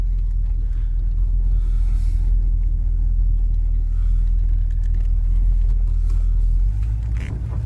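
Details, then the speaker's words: Monte Carlo driving after fuel filter replacement, accelerating: strong steady smooth low rumble, no stumble or knock; owner thinks it runs better and is getting fuel. "I can already tell you I think it's better I don't think he'll spend a tire better but oh my gosh it's getting gas"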